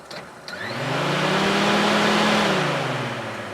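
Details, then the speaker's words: 2002-2006 Honda CR-V 2.4 with overheating, key in run and engine off, fan switch connector jumpered with a paper clip: fans spin up to steady whooshing hum without rattle, then ease off; wiring and fans fine, fan switch faulty. "you can hear the fans turn on, which means that the relays, the wiring, the fans, everything is good."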